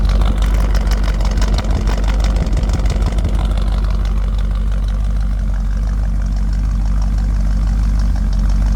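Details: 1963 Impala SS, freshly built, unbalanced V8 with ported heads, Z20 springs and different-duration cam, just installed, running fairly cool: quiet engine, deep even exhaust burble, no knocks or misses; smooth, healthy idle.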